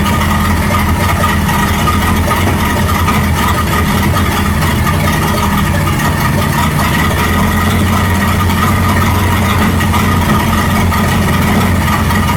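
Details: 1937 Buick Roadmaster with a steady, smooth idle sitting noticeably fast and never settling; an unused starter solenoid holds the throttle open too far regardless of idle screw setting.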